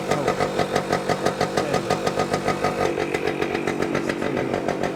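Crisp two-stroke idle, even popping about three per second with a light rasp, engine pulling steadily and running fine.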